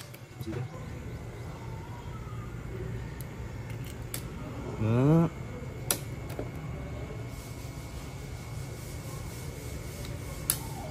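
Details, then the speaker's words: Honda Airblade 150, about 3 years 5 months old, after cleaning the push start button: quick starter whir and engine start with no more 5-second delay; previously would not start on button press. "so yan guys bumalik na sa normal yung start button fully functional na siya at wala ng delay yung response time niya pag pinindot yung push button"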